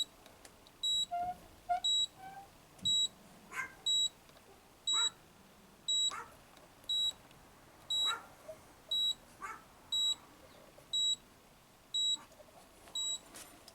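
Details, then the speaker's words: Coronado motorhome refrigerator with replacement control board, on propane: igniter working but no flame, sharp high beeps about once a second signal the "no FL" no-flame fault; dog barking behind. "But when it beeps, it says there's a problem. It says no FL."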